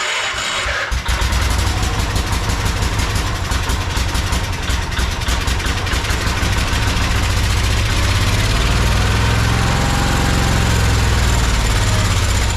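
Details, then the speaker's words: Project tractor with fuel fed through a makeshift container into the hose and a slightly leaking fuel pump diaphragm: after a brief crank it catches and settles into a steady, even low chug, smoking, no misses; normal idle. "sound like she's starting to run"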